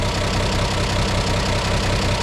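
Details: 1950 Chevy Deluxe converted to 12 volts with a one-wire alternator, warm slow idle, 13.3 V when revved: steady, even low rumble with no knocks, misses or surges; idling smoothly.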